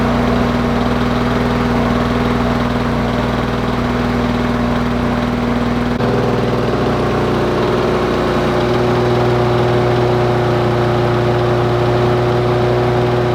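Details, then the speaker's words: Lawn Boy two-stroke mower after tuning the carburetor brass screw (assumed mixture screw): steady buzz lifting to a slightly higher even speed; runs faster, no more smoke clouds, owner suspects slightly rich, untested under load. "but it sounds a lot better than it did before and it's definitely running faster there's not big clouds of smoke coming out anymore and to me that sounds perfect"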